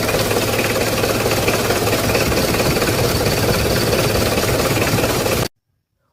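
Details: Petrol car engine running with an old, worn fan belt, before applying grease to the belt edges: thin steady whine over the engine note; fan belt squeal.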